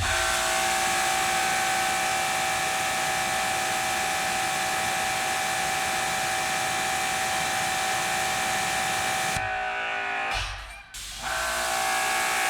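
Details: Dewalt 2400psi electric pressure washer on the 25 degree nozzle: steady motor hum with spray hiss, then a pitch change as the trigger releases and pressure builds to 2400 psi; about 1200 psi while spraying, normal.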